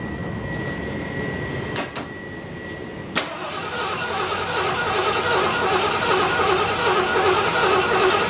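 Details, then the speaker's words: Circa 1975 Ford LTD abandoned about 28 years, first start without brake clean: thin steady squeal during cranking, then engine catches and settles into an even rumble with quiet exhaust; squeal source unclear, alternator charging suggested. "Wow. I don't know what that noise is. That means the alternator charging"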